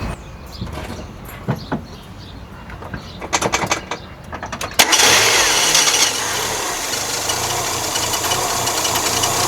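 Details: 1997 Mazda MX-5 Miata, microphone on the radiator, start: starter clicks and cranking, then the engine catches into a fast, busy idle with a steady clatter; abnormal idle noise, owner asking for diagnosis, source undetermined.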